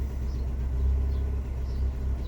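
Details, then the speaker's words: Fiat 500 at idle after codes cleared: deep, lumpy, unevenly stumbling idle from a random multiple-cylinder misfire (cylinder 4 flagged), traced to a failing ignition coil pack; replacing the coil unit fixed it. "However, I don't know if you can hear this. The car's misfiring,"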